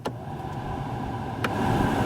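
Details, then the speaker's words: 1999 Chevrolet Lumina heater blower motor, which had been noisy with debris and vibrated the dash on high, now reinstalled after repair, gives a steady even whir with no rattling or scraping: normal blower operation. "yeah everything normal sounds just like a normal blower motor guess this one's done"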